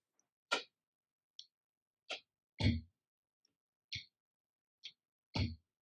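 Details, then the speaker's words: Fender Tonemaster FR12 amp hiss test, otherwise near-silent: eight sharp pops about one per second as a ceiling fan is switched on and off, showing the amp's sensitivity to electrical interference in the house. "that's just me turning the ceiling fan on and off so what that illustrates is if you have an electrical issue in your house this thing is going to pick it up in Spades for sure"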